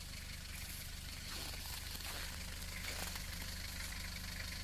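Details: Nissan Terrano II 2.7 TDi diesel, cold start at −29 °C after about two hours parked: starts easily and holds an even, steady diesel clatter at idle with no misses or knocks.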